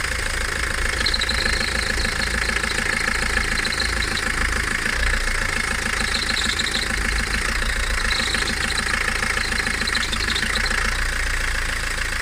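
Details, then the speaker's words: Peugeot 307, noise present since purchase, when releasing the clutch to pull away: engine running with faint, uneven rattle and rumble as clutch takes up; source unclear. "Este ruido lo hacía el coche desde que lo compré."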